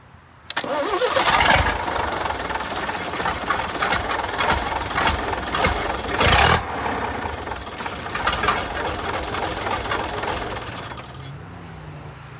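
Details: Vintage Leyland O.600 diesel from Routemaster bus RM 1950, free-standing bench start on the ground with battery, diesel and oil: catches within a second, uneven clatter settles and winds down; healthy start.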